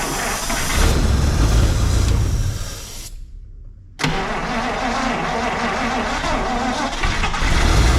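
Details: 1953 Buick being fueled by hand while cranking, trying to run on its own fuel supply after fuel system work: starter turns it over steadily with uneven catching, pauses, and cranks again, but it doesn't fire.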